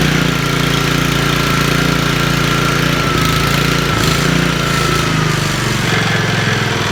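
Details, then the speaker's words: Trash-picked Honda Commercial HRC216HXA mower, getting it running: small single-cylinder engine runs at steady even throb, no misses or surging; sounds healthy, normal running. "listen to it it sounds wonderful"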